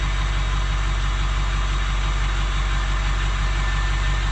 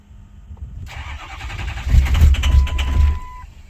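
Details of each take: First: 2006 Ford F350 6.0 Powerstroke diesel after sitting five to six years, after repairs: steady idle with even low chatter at constant pace, no stumbling, no smoke; normal idle. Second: 2006 Ford F350 6.0 Powerstroke diesel after sitting five to six years, new standpipes and dummy plugs: steady cranking for a couple of seconds without firing despite good readings; hard start.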